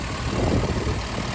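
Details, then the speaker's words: 1967 Alfa Romeo Giulia 1300 TI after a lengthy tune-up visit, heard at the rear by the center muffler: steady even warm idle hum with smooth low beat, no misses or stumbles. "the one Center Muffler around here and listen to efficently Smooth motor just out of a lengthy TPI sorting visit at Auto Sprint of Chicago"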